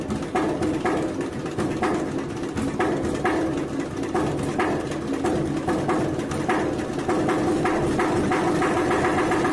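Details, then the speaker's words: Eicher single-cylinder diesel with a starting problem from low compression, started after about 25 grams of oil poured into the air intake elbow to reach the piston: steady thumping about twice a second, running evenly. "तो दोस्तों, आपने देखा engine ऐसे start हुआ। Engine क्यों नहीं start हो रहा था, इसका मेन वजह है कि इंजन बैक है, मतलब कि इंजन कंप्रेसर नहीं बना रहा है, इसलिए स्टार्ट नहीं हो रहा था।"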